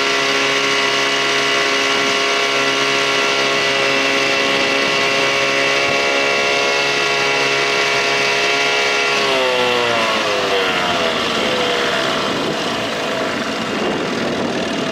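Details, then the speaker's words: 1987 Johnson 6 hp two-stroke outboard on the water after work to fix bogging; steady buzz, then pitch drops cleanly as throttle comes off, no stumble or bog; running right. "not bad for this boat and that motor put some Motors like this in the water should have leveled it out"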